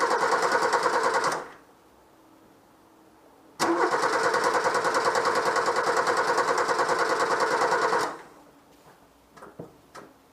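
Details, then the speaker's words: Peugeot 104 GLS after brake change: fast even ticking rattle about three per second over the running drivetrain, occurring only with the right front wheel, not the left; transmission noise, wheel bearing shows no play, source unknown. "voilà le bois qui se manifeste alors et se manifeste seulement avec la roue droite pas avec la roue gauche quand je fais l'expérience comme ça"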